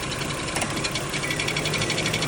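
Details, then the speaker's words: BMW X5 E53 with M54 3.0i engine on a lift, heard from underneath at idle in Drive: dull, fairly quick knocking, less ringing than usual, loudest at restart; cracked flexplate between torque converter and engine, confirmed, to be replaced. "Обычно пластина более звонкий какой-то звук издаёт. Здесь он более глухой такой стучочек, кулачочек."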